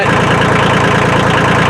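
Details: Kubota L2350 diesel tractor, unused about three weeks, had stalled from water in the fuel tank and lines; after cleaning, fresh fuel and bleeding, it idles with steady, even clatter and no misses, slight white smoke remaining. Normal idle.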